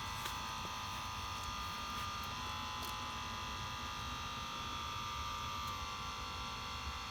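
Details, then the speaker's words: 2019 Ram 1500 high-mileage truck with air suspension lowering to the lowest setting: quiet, steady hiss with faint thin whistle as air ride relieves pressure, alternating front and rear; normal venting, quieter in person than recorded. "You can hear the air ride system relieving pressure. It might sound loud on the video, but it's actually fairly quiet."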